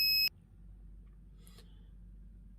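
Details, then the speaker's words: Daikin air conditioner in error-code check mode via the remote's Cancel button: a long beep at code 6 indicates an indoor fan coil motor fault, most likely the motor, with a small chance of the circuit board. "ครับถ้ามันดังยาวที่6แบบนี้นั้นก็จะมีความหมายว่ามอเตอร์แฟนคอยล์มีปัญหานะครับ"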